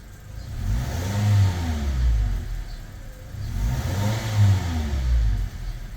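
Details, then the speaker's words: Toyota Fortuner 2.7 petrol (likely 2TR) on gas after repairing a rat-chewed injector wire: two clean crisp throttle blips without stumble, engine steady; normal revving after repair. "เด้งดีเลยฮะไปดูเครื่องกันว่านิ่งเท่ากับน้ำมันไหมก็นิ่งนะครับไปฟังเสียงท่อกันนิ่งครับเนียน"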